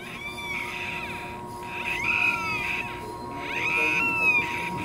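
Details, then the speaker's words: Toyota Hilux during service, owner told rear bearing bad: high whiny squeal swooping in pitch as rear wheel turns, from dry rear axle seal; lubricating the seal fixes it. "gemidinho aí. Se isso acontecer, pessoal, é bem aqui, ó. Vou mostrar aqui, bem nessa no retentor aqui, ó."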